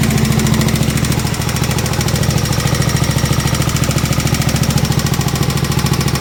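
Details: 1972 Gravely 816 tractor, Kohler Command 18 engine, first run: heavy steady knock about 3.5 per second over rough running; engine blown up, seemingly worsening as it ran.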